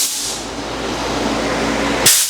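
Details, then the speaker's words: Powerhouse PH-OLESS-30L-1HP oil-less air compressor (220V, 750W, 40L tank), regulator turned counterclockwise from 75 to 60 psi: a steady high airy hiss ending in a short sharp burst. This is normal pressure venting. "pull the valve upward and then this time counter clock and you will hear a hissing sound meaning it is releasing pressure and until you reach your desired psi off in this case 60."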